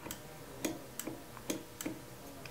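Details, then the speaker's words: Baratza Sette 270Wi coffee grinder: crisp, dry clicks, about six in three seconds, as the hopper is locked in clockwise, the safety switch engaging normally. This switch and the grind-setting switch (below 31) must both engage for the motor to run. "If you listen closely, you can hear a safety switch clicking when I lock my hopper in."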